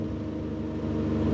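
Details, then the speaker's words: Ford Fiesta with a suspected blown head gasket, after Steel Seal treatment: a steady hot petrol idle with a whirring rush as the radiator fans kick in at 105°C; the temperature then dropped to 99°C without coolant overflow. "And the fans, and there we are, guys. The fans are kicking in."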